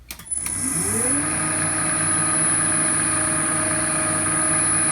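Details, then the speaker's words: Upgraded drill press on a VFD inverter drive with new belt, test run at reasonably high speed: motor winds up within a second to a steady, even hum with no knock or wobble; running smoothly, vibration much lower than before. "i don't know if you can really hear it on the video but that sounds really smooth it's nice in terms of vibration"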